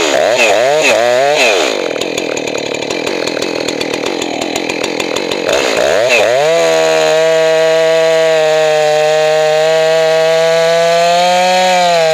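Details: Johnson Red 670 chainsaw after a Tillotson carburetor rebuild. Revs up and bogs into the cut, then settles to a steady high scream with slight burble; healthy and correctly tuned.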